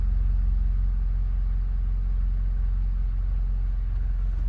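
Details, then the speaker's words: Mercedes C300, 168,000 miles, likely original engine mounts, idling, recorded inside the cabin: rough, regular low throb near three pulses a second shaking through, headrest jiggling; worn engine mounts letting vibration through. "I wanted to start it inside the car cuz I want to show you these motor mounts. It's 168,000 mi. And I think it has the original motor mounts."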